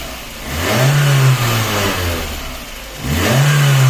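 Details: VAZ 2110 petrol engine after refitting parts to address strong body vibration and knocking linked to a mismatched Priora anti-roll bar: blipped twice from idle, rising and falling smoothly with no knocks or rattles; now quiet.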